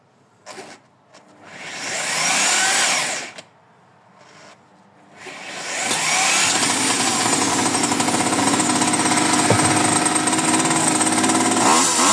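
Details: Mini bike's small engine first start after 30 years stored in a barn, with new spark plug and cleaned carburetor: fires after handling noise, settles into steady even buzz without misses or knocks, running healthy.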